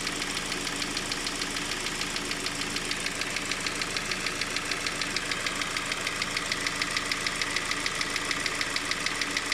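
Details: Engine with a sharp, very regular knock about 200 times a minute over steady idle; internal engine knock, cause not yet found.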